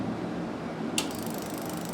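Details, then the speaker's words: Fuel injector pulsed on the bench by a homemade PWM tester: a single sharp click then fast, even steady ticking; injector opening and closing normally. "Aqui está o barulhinho característico do bico injetor."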